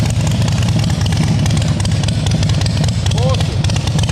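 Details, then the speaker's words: 2010 Harley-Davidson Softail Standard with S&S Twin Cam engine and Blow Performance exhaust, third start attempt after rebuild, once about a millimetre of aluminium was shaved to cure a no-start; loud lumpy V-twin idle, steady uneven-firing beat, no misses or clatter: normal idle. "All right, take three. Let's get this baby started. I don't know if this is going to equate, but it's loud."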